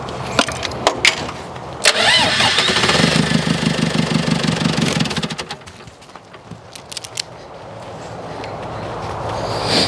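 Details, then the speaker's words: Mid-to-late-1980s L844 TT34 Highlander II diesel telehandler: clattery cranking catches into an uneven, labouring run that sags and fades. The engine struggles to keep running, and the owner suspects the small supply pump is going bad; cause unconfirmed. "don't something just something is just not right I don't know if this little Supply pump is going bad"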